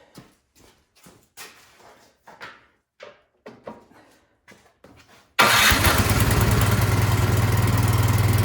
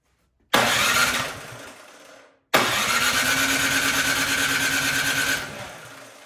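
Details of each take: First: Craftsman snowblower small engine after a tune-up and carburetor cleaning, test-run before reassembly, choked and primed: after about a dozen recoil pulls it catches and holds a steady, even buzz with no stumbling. Normal running. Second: Craftsman snowblower during tune-up, on choke, electric starter: two bursts of rapid, even starter churning a couple of seconds each, never catching; cranks but won't start, spark to be checked.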